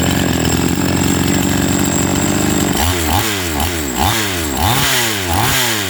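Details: Chainsaw MC 15841 after carburetor inspection for a no-start: smooth steady buzz, then about five quick throttle blips rising and falling cleanly without stumbling; normal running.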